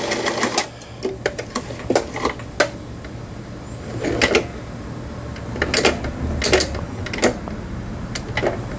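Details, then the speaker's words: Old Taiwan-made Brother-type home sewing machine, 120 V, repaired after not sewing at all: quick, even needle clatter in short runs testing stitch functions, no knocks or binding; sewing normally. "각종 기능들이 정상적으로 박음질이 되고 있습니다."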